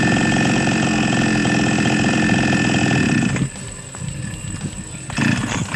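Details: Small Chinese chainsaw engine that would not start without priming; after repair, steady fast even two-stroke buzzing, then dropping to a quiet idle; starts and runs normally again.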